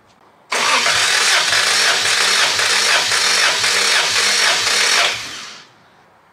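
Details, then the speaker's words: Compression test, fuel pump disconnected, battery charger on: starter cranks cylinder 4 with steady even beat about four seconds, no weak strokes; reads 183 psi on both tries, healthy compression. "so a few things i'll listen for is it cranking too fast is it kind of a weak crank that actually felt like really good compression or at least sounded like it but let's take a look"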